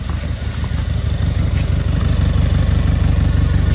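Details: Audi A1 1.4 TFSI (CAXA) after full filter service, new fuel filter and spark plugs, ignition cycled to purge air: smooth, even low throb at idle, no misfires, stumbles or knocks. Normal idle.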